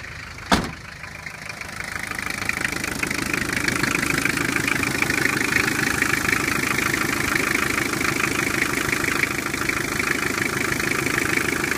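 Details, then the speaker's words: Toyota L 2.2 L diesel in an LN40 Hilux, fresh rebuild with 10 miles on it, smoking blue, which the owner expects on new rings: one sharp click, then steady, even diesel clatter, no uneven knock or misfire; normal idle. "finished the rebuild today I put 10 miles on it since it runs great smoking blue um I think that's kind of to be expected on a fresh rebuild"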